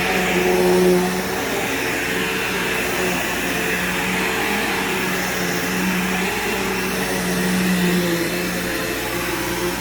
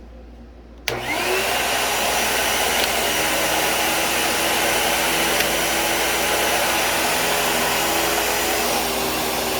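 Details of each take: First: Bagged vacuum picking up scent beads: steady even motor hum with constant airflow rush, no rattles or pitch wander; works perfectly fine with a good brush roll; normal running. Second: 2012 Bissell vacuum (rating label u5140900), about ten years old and needing a belt: steady high motor whine with a rough, scratchy brush-roll undertone. The brush is noisy but works and needs cleanup.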